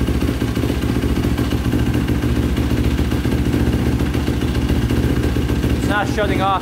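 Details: 2005 Yamaha YFZ450 big-bore single after rebuild, carburetor refitted (owner suspects a clogged pilot jet): steady, even idle with a low chuffing beat, no stumbling or stalling; pipe turning red, owner unsure if normal.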